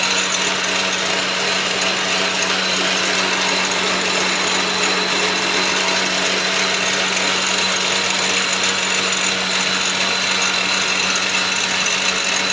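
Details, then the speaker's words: Atlas Clausing 4800-series 12-inch lathe on test run, belt on the middle setting with the clutch engaged: a loud, harsh, continuous grinding rasp over the drive noise from a gear grinding in the drive train. "so come to find out I was uh grinding a gear down here when I did a test run"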